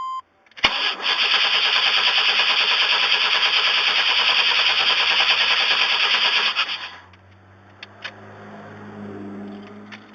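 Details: 1994 Chevy Astro, already warm, that intermittently dies and won't restart after a Seafoam treatment: the starter cranks steadily at about three turns a second for six seconds without catching. Crank no start, fixed by replacing the ignition control module under the distributor.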